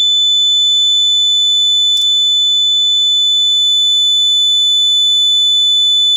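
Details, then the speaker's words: Fire alarm panel lamp test: steady high-pitched electronic sounder tone for about five seconds with faint low hum beneath; display and sounder working normally. "so let's hit the lamp test as you can see everything on the screen is working good and then you see it lasts for about maybe like five seconds"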